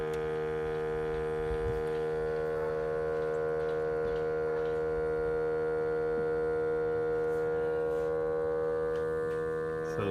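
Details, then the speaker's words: 2012 Ford F-350 6.7L diesel with the engine off: a steady compressor-like whir lasting about 40 seconds after shutoff, coming from under the EGR; a failing turbo wastegate vacuum solenoid, replaced to fix it. "so we're here to address a sound that we've been getting out of our Ford f-350 2012 model this kind of sounds like an air compressor"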